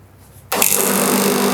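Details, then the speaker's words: AC compressor, test start on mains after wiring, resting on the outdoor unit and held in place: a sudden start into a steady loud hum with some rattle from the loose placement. Starts and runs normally. "ये देखिए। ये जो आवाज आ रही है आपको यह आवाज आउटडोर पे रखने की वजह से आ रही है। ये देखिए। ठीक ये स्टार्ट हो गया।"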